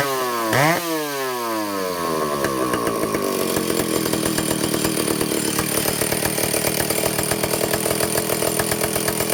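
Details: Vintage Stihl chainsaw two-stroke, test run after fixing air leaks and fuel system, no bar and chain, carburetor high needle 3/4 to one turn out, target top speed no more than 10,000 rpm: snaps up to a high, steady scream, holds clean without four-stroking or bogging; running properly.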